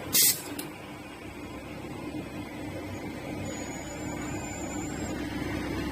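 An even, steady whir with a faint high whistle and no knocks or catches; the sewing machine runs smoothly.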